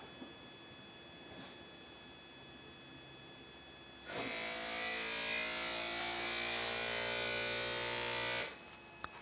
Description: Our new Lincoln MKZ makes an odd noise when you apply pressure to the brake pedal (or remove pressure. It's particularly noticeable when the combustible engine is off (i.e. at very slow speeds).